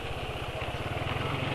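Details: Motorcycle single after about 27 km on Esso 4T Pace oil: quick low thumping with coarse chain-like rattle from the head/front, not present with previous oil; owner suspects weak oil film strength, adding Kie Corn Oil reportedly fixed it.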